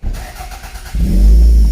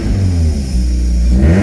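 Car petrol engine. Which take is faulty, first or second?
second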